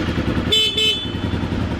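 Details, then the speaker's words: Honda NC35 motorcycle idling after a battery-booster start: two short, clear, steady horn toots over the idle; horn works properly. "Oh, and the brake lights work. Oh, does the horn work?"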